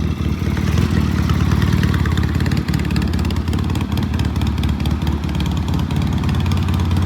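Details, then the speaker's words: 1973 Norton twin fitted with an Alton starter, on a test ride through the gears up to fourth, keeps a steady, even beat with clean throttle pickup and no knocks or misfires; it shifts and accelerates well and is ready to return to the owner. "Beautiful bike. There's nothing wrong with this thing. Shifts beautifully, accelerates, up, down."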